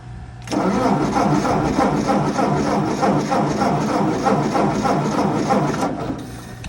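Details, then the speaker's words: 1958 Ford 871 Powermaster Select-O-Speed tractor after fitting a new distributor cap and rotor: steady starter cranking at about three and a half turns a second with no firing and a gas smell; a crank no-start, ignition apparently giving no spark. "So I guess it is now time to properly troubleshoot the ignition system and see where, you know, our gap is. Somewhere there is something that is not connecting so that we're not getting spark, it would appear."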